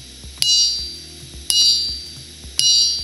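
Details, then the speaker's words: Clear, high, lingering ring on three strikes during a ring test of a ship exhaust gas economizer boiler safety valve spring; a clear ring means the spring is sound, a dull sound means scrap it. "เสียงกริ่งดังลั่นซึ่งหมายความว่าทุกอย่างเรียบร้อยดีเสียงโง่ๆหมายความว่าคุณควรจะถอดสปริงออก"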